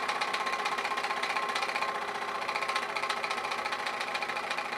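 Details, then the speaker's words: Old Kwik Kool oscillating fan after reassembling fan and housing, briefly quieter: uneven knocking about four a second over a labouring hum as it slows after a fast start; owner suspects motor binding, not confirmed. "yeah i started up fast now it's slowing down i think probably the motor's caught and start seeing smoke any minute now"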